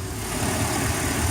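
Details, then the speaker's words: Petrol inboard boat engine after a fix for hard starting and low RPM (stuck at 4000 of an expected 5000): fuel restriction cleared, spark plugs changed. Running two minutes with no issues: steady, even low rumble with no misses, knocks or surging. "I've been riding for two minutes now no issues exploring"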